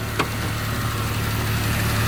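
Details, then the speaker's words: Bentley Continental GT idling lumpy and uneven with a low drone and faint hiss, as if running on half its cylinders; owner suspects a large vacuum leak and low compression on one bank, not confirmed; rough idle. "I can assure you the idol is not good it feels like it's running on half the cylinders which it probably is"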